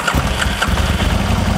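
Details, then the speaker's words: Aprilia RSV Mille Gen 1 twin, stood about 10 years, non-start caused by a faulty block connector, after the fix: short crank, then it catches cleanly and settles into a lumpy but even idle with no misses; normal start. "So in theory, we should be able to start this up and it should go."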